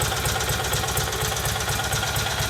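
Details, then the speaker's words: Rebuilt Kohler Magnum M18 from a Cub Cadet 1882 on a test stand, cold, idling near 1,000 rpm with about 30 psi oil pressure: light even clack about four per second; owner suspects crank end play or cam noise. "right now it's cold and idling at about almost a thousand rpm sounds pretty good has a little bit of clackiness to it"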